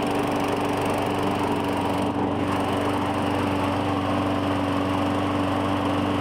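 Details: 2017 Murray 21" mower, Briggs & Stratton 450E, after cleaning the dirty carburetor: even steady buzz at constant speed, no surging, misfires or hunting; normal running, no smoke.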